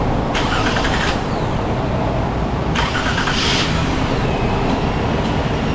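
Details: Vehicle after starter work and a makeshift T and hose repair for the air box lines: steady, even idle with no hiss or sucking sound, runs smooth; normal idle.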